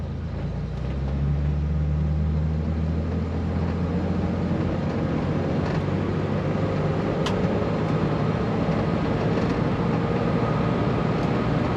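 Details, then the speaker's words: 1964 Corvair with a cheap used replacement transmission, installed to fix a problem that likely kept it parked for 30 years, on a test drive rolling from a dead stop: engine drone rises, then drops as it upshifts smoothly around 32 mph. "so let's watch the shift here so I'll tell you when it shifts in case you can't hear it dead stop so I'll just roll onto it"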